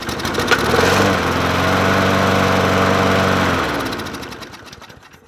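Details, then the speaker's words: Murray 20-inch 4.0 HP push mower (20415x8D), free find, checked for compression and spark with a splash of fuel: fires and runs rough for about three seconds at a steady pop, then stalls; tank holds old gas. "Did that just try to run by itself? I didn't even check the fuel in it."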